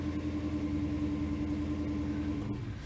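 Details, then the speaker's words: Holden HK 253 V8 just after oil and filter change, idling in after start-up once oil pressure came up: smooth, even burble, steady low hum, no knocking or misses; healthy idle. "Right, we'll let that idle in. The boat's running good."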